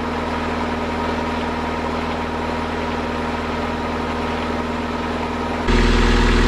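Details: Fresh-water-cooled boat inboard idling at dock test after raw water pump rebuild, oil pressure 40 psi, water temperature rising; smooth steady low thrum, no knocks or misses; healthy.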